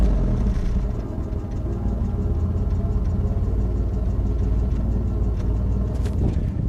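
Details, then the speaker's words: 1986 Oldsmobile Toronado, stock exhaust, microphone clipped on: deep, even rumble held steady several seconds, no knocks or misses; healthy engine. "Like, mind you, this is a stock exhaust. It's not going to sound too great, but let's clip it like that."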